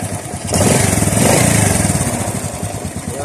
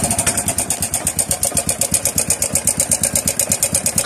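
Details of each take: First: Honda RS 125 single-cylinder on a cold start after replacing the cam chain tensioner: even beat that picks up cleanly on the throttle, with the earlier engine ticking gone. Normal cold start and revving. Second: Honda RS 125 motorcycle idling with a sharp, steady ticking clatter about three ticks a second from the engine, traced to the timing chain tensioner backing off, leaving the chain slack and jumping.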